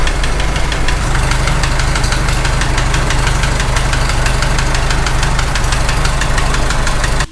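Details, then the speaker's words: Farmall H tractor engine: steady heavy knocking at two to three per second over rough idle, coming and going after restart; suspected on cylinder 3, wedging rocker end play did not cure it. "Shut it off, then restart, it went away. Now it's coming back a little bit. It's kind of coming and going. Weird."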